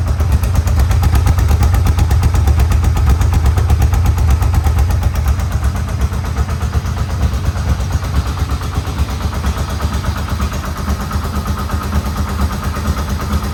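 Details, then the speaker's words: Yamaha Vmax engine, first start after rebuild with no airbox fitted. A loud, lumpy but even pulsing idle around 1,000 rpm with no knocks or ticks; oil pressure is good. Normal idle. "how's that oil pressure going oh that's fantastic look at that well I haven't had one stock first pick before so we're about 1 000 RPM now"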